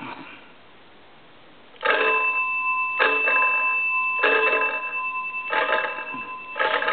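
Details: Wesco wood wall crank (magneto) telephone under repair: after a quiet start, five bright ringing bursts come about once a second with each crank turn; the ringer sounds clean and healthy.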